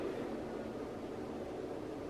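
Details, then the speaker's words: Bench power supply's small cooling fan speeding up as an old 40-year-old Weller temperature-controlled soldering iron draws 50 W: steady airy whoosh, smooth with no ticking or rattle; normal. "fan that is going to higher speed when I'm consuming the 50 watt for this soldering."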